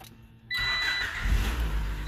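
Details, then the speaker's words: Car whose aftermarket fuel pump drew more current than the wiring could carry; with the pump hooked back up and fuel pressure restored, the engine fires at once and settles into a steady, even idle. "look at that runs like a champ oh oh yeah oh yeah we got some fuel pressure now wow that's what we want"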